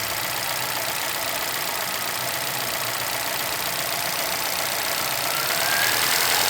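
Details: 2011 Chevrolet Celta VHCE Spirit engine idling with crisp, fairly regular tapping about four per second; owner asks what the knock is, cause not pinned down.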